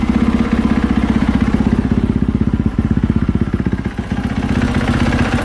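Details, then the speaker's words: 2020 KTM 450SXF after replacing worn clutch-area rubber dampeners, idling with the clutch engaged: a steady, even single-cylinder thump without the earlier clunks and taps. "That's really all we're going to be hearing here, but you're not going to hear them clunks and taps and stuff that we were hearing before."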